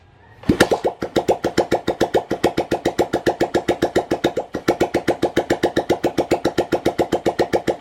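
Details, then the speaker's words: Yamaha SZR after replacing connecting rod bearing and two crank side bearings to cure engine noise, kick-started on carb fuel with no muffler: fires straight away, even thump about six beats a second, no knock or rattle; noise gone. "So yan, wala na po yung ingay na kanyang makina. So tahimik na."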